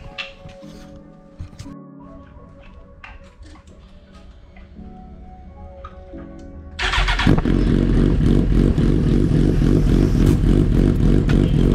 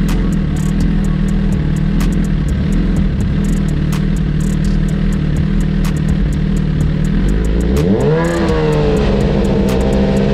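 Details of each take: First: 2009 Suzuki GSX-R1000 after the fuel pump issue was fixed, tank cleaned and fuel pump refitted: a few quiet clicks, then the engine catches and settles into a strong, even, steady run with no misses; running normally. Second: 2009 Suzuki GSX-R1000 running on its original tank and fuel pump: rough, uneven drone, then revs climb unsteadily and sag back when the pump's second stage fails to work, usually bogging out; fuel pump failure causing engine bog.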